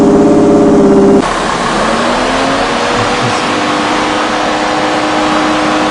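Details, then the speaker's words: 2002 Ford Escape with repeated coolant leaks, engine held at raised rpm, coolant at 225°F and its pressure rising: sharp step into a loud rushing roar as the radiator fans cut in at high speed while overheating. Cause unconfirmed. "all right got it up to 225 again you can hear the the fans really kick in trying to keep it down again"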